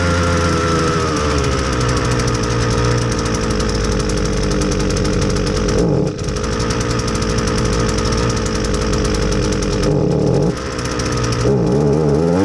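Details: Husqvarna 326LD string trimmer, low on power and running poorly on clean fresh fuel: buzzy two-stroke holds an uneven speed and sags twice without picking up cleanly; fuel starvation from a stiff carburetor metering diaphragm.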